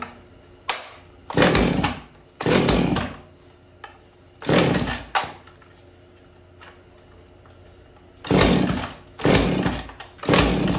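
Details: Husqvarna 445 chainsaw unused over 10 years: repeated rope pulls with short sputtering bursts, never keeps running; throttle won't stay locked, choke suspected not fully engaging.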